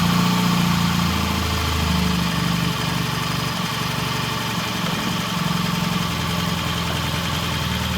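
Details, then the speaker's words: 1968 Triumph T100 twin with a new battery, after cleaning the pilot jet (set to 1 1/2 turns) and raising the idle slightly: steady, even low idle thump with no misses or knocks; running smoothly. "Okay, we got a really nice idle, really good rev. Sounds good."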